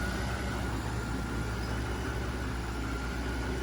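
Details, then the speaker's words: 2007 Mercedes S600 W221, M275 V12, second-version ABC suspension, running in rodeo mode during ABC fluid flush (Febi fluid) with system already hot: low steady hum, faint even whine, no groaning or knocking; pump quiet and healthy. "you can hear my um my system is pretty quiet which is good there's not much noise it's making to be honest"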